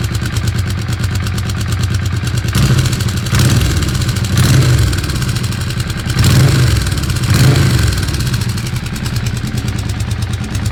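A rapid, regular clatter rides on a low idle and persists through the short blips of throttle; the source is not clear.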